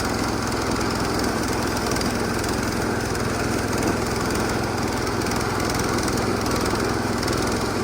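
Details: Massey Ferguson 16 garden tractor with old Kohler single-cylinder engine, revived after sitting since about 2013 with a replacement aftermarket ignition (33-393); everything works: steady, even chug at constant speed, no misses, knocks or surging; healthy.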